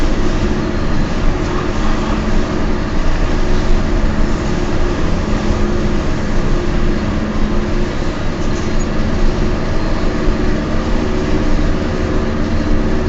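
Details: Peugeot 206 while cruising: steady, low droning hum of constant pitch under the road rumble, suspected to be bad wheel bearings.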